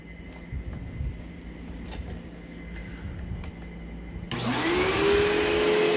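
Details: Vacuum cleaner with chewed-up, loose brush roll running on new carpet: quiet room, then switch-on with rough, uneven rising whine and heavy rattle; damaged brush roll.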